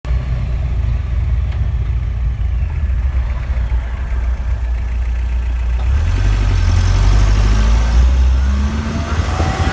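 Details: Driveline noise while coasting in neutral at 50+ mph: deep, steady drone under the road roar that swells toward the end; owner rules out the throwout bearing, cause unknown.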